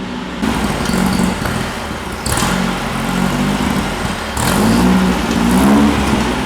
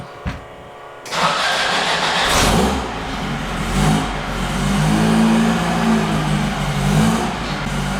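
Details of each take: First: VW air-cooled Baja bug engine on a dyno with no idle jet, after much screw-turning: engine surges and sags, pitch wandering instead of holding steady; rough running from a missing carburetor idle jet, carb needs dialing in. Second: VW air-cooled engine from the Baja bug on a dyno, 39 mm carb with 132 main jet, first fire-up: short crank (pump gas once, set choke), fires quickly, revs then settles to a slightly uneven but willing idle; normal cold start.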